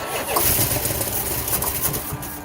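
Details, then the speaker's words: 1971 Chrysler 300 440 V8 donor engine after new plugs and wires: cranking catches into short ragged rumble and a few barks then fades; fired briefly, stopped to avoid damage. "I think we're going to call this it started we heard it Rumble we heard it bark and fire up"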